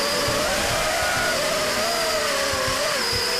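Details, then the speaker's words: FPV multirotor with roll D gain set too high: steady high motor whine with quick wavering pitch surges on each move as motors ramp up and down; oscillation from excessive D gain, easily mistaken for other issues. "you hear the oscillations every time I move the vehicle the motors ramp up and come back down very quickly this is easily mistaken for pame so sometimes it's hard to troubleshoot this"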